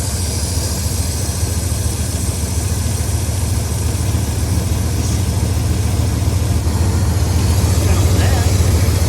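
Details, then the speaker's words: 1994 Ram 1500 truck, cold start: low, uneven, lumpy idle running rough, with a slight rotating thump that rises with rpm; owner suspects a vacuum leak, possibly a distributor cap, says not engine knock. "Sounded a little funky at first, but sounds like it's got a vacuum leak."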